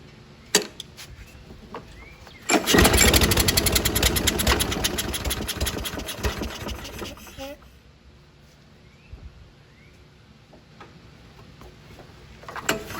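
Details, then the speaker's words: 2011 Toro Personal Pace 20333 mower, B&S 190cc with blade clutch, after sitting a while: pulls, catches and runs rough about five seconds, then fades and dies. Owner suspects governor adjustment; cause not confirmed. "this is my the dilemma i had this thing would run for a little bit and go put put me die out"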